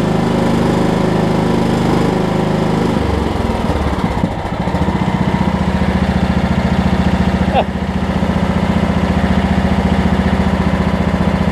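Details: Over-20-year-old Craftsman riding mower, Kohler Command engine, previously locked by a wrongly fitted deck belt. It cranks, catches and settles into a steady, even thump with a brief rev, running freely; normal running.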